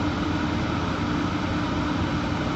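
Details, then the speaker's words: 1980s Clausing-Colchester 15x50 lathe cutting, belt looks loose, some gear noise: steady heavy drone with constant mid-pitched hum, far louder than it should be, rubbing part likely; one noise source later found at foot brake bolt. "I also got highly distracted by finding uh at least one source of the insane amount of noise."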